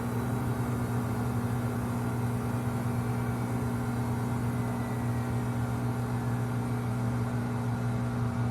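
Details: Samsung WW25B6900AW/A2 front-load washer, 5 months old, buzzing since month one, about 70 dB: steady loud low buzz while draining with no water left, quieter hum when water is present; cause not confirmed.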